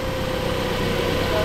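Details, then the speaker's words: 2006 Toyota Yaris at idle with headlights on high beam, radio and blower on full: voltage down to 11.98 V, not charging, and a steady high singing whine from the failing alternator; replacement recommended. "and that alternator is making a decent bit of noise you hear that thing singing to us"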